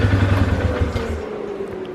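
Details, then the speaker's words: 2012 Polaris Sportsman 400 HO, carbureted, after cleaning a clogged pilot screw that caused stalling on throttle let-off: steady, even low thump at a settled fast idle with no stumble or hunting. Runs smooth, normal idle. "but yeah she runs smooth okay yeah"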